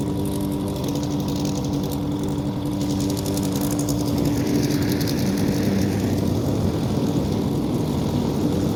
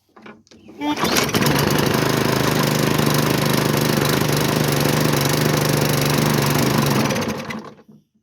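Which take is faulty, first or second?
second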